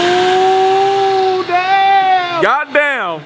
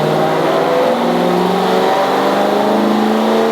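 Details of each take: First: BMW E92 M3 with newly fitted supercharger kit, after rod bearings, exhaust upgrade and engine mounts, first proper start with no tune: clean steady high-pitched note falling smoothly as revs drop, no misfire or lumpiness; running healthy. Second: Supercharged BMW E92 M3 V8 on a dyno, base tune, first run after warm-up: engine climbs in pitch but sounds uneven; misfire on cylinders 7 and 8, ignition disabled, same fault as before.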